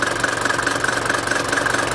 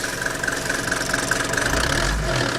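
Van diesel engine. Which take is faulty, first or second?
second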